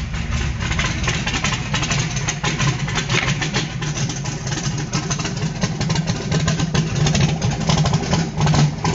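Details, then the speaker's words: Carbureted small block on pump E85, blow-through CSU carb, no choke, cold start, around 100 degrees and still cold: loud lumpy uneven idle with deep burble; rough cold idle until E85 warms past about 140. "you'll hear the motor when it gets to 140. the sound of it will physically change when that e85 starts to get into a warm cylinder and burn properly it won't sound the same"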